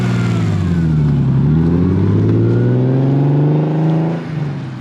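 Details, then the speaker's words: First test drive with newly built turbo engine: clean, smooth rise in engine pitch pulling through the revs, no knocks or rattles; sounds so good, normal acceleration. "Damn, that sounds so good. These things turbo just sound so good."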